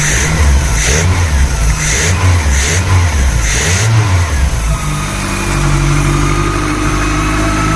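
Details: VW Polo with rebuilt Pierburg 2E carburettor (cleaned, new gaskets), morning cold start with choke set by throttle tap: engine catches at once, blips, settles to steady even idle; clean cold start.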